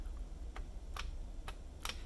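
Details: Magnetically-stabilized DIY spacebar on a numpad: four clean single clicks over low room hum, with no rattle or buzz unlike a regular Cherry stabilizer, though the key sometimes sticks down.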